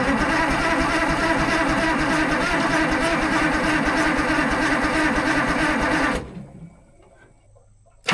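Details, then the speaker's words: Allis Chalmers 645B loader diesel, long-sitting, on jump pack: steady starter cranking about three beats a second that never catches; sticking injection pump control rod/fuel rack, to be worked free by hand, ether next. "Yeah, I could probably just sit here and melt the starter out of this thing."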